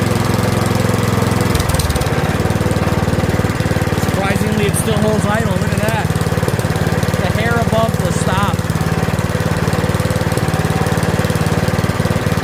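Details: Curb-find Yard Machines 21-inch 179cc OHV single-cylinder snowblower, after a full-throttle run; fast, steady putter holding an even idle without hunting or dying, a normal idle.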